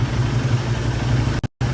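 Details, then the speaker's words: Royal Enfield Himalayan 450 cold start after valve clearance adjustment and new-model timing chain tensioner fitted (torqued to 40 Nm): steady, low, even idle, only a faint nearly negligible noise left; normal idle. "it's almost gone. That's how the engine sounds."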